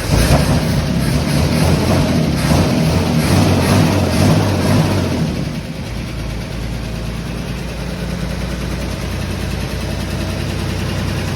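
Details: Fire-damaged 1951 Chevy six, running without radiator, carb leak stopped after tapping it: revs up then drops to steady even idle with no miss or knock; running normally.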